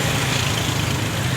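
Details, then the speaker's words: Suzuki Ignis K12C petrol after head gasket replacement and timing set, warming up toward 800-900 rpm: quiet even idle, soft hum and airy hiss, no knocks; earlier it would not idle below about 3000 rpm. "कोई sound नहीं है गाड़ी में कोई कुछ नहीं है गाड़ी"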